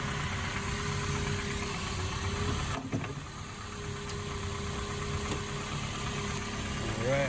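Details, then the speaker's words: 2004 Honda CR-V after misfire repair, faulty spark plug found and all plugs replaced and gapped: steady, even idle with constant low hum and no skipped beats, firing cleanly on all cylinders. "Okay. So, it's running good."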